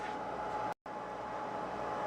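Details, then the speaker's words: PPS-2322 dual 32V/2A programmable power supply, no fan controller: loud, steady airy rush with a constant tone near 850 Hz at unchanging speed, cooling fan on full blast from switch-on, before adding a temperature-controlled fan controller. "this power supply doesn't have a fan controller which means the fan is on at full blast uh you know as soon as it turns on so let's take a look at that and it's actually pretty loud"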